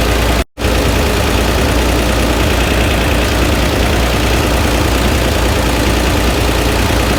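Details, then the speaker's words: Flood-damaged Chevrolet Corvair engine at idle, microphone placed where the noise is loudest: loud, rough idle with a steady heavy knock under the engine note; internal knock not diagnosable from above. "the knock is something that I can't diagnose from the top of the car. So, I think the engine has to come out of it."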